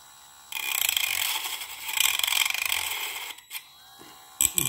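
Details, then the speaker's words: Parkside PFBS12B3 cordless precision rotary tool on speed setting 2 of 1-6 plus max, cutting plastic cable trunking: thin high whine with ragged chatter as the disc bites; speed too low for clean cutting, cuts better at 5 and max. "voit que là, à 2, c'est pas bon. Donc on va la monter à 3."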